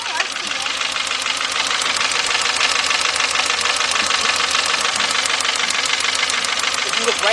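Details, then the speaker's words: 2.0 Volkswagen at idle with cylinder 1's plug wire off: uneven, chuffing idle with a regular stumble; cylinder misfire, spark seen arcing out through the side. "I need to look at number one this thing was actually arcing out through the side huh"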